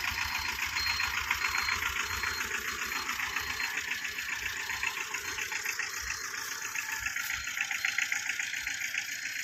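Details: 2012 Tata Ace diesel, two owners, engine in very good condition, full wiring work done: even idle clatter, steady beat about two and a half pulses per second, no misses; normal healthy idle.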